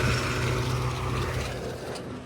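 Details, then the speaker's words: Nissan Be-1, carbureted engine, while setting base ignition timing with the vacuum advance hose disconnected; low, uneven drone that stumbles and sags, running really rough and able to stall: rough running with vacuum advance disconnected. "You can see how that runs really rough with the vacuum advance removed."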